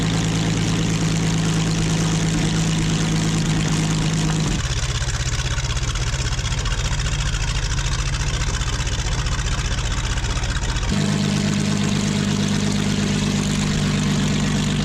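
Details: Original WWII Maybach HL230 V12 Panther tank engine after tune-up and lowering idle via the accelerator linkage; smooth, even low rumble that settles lower then picks back up cleanly; normal running, healthy.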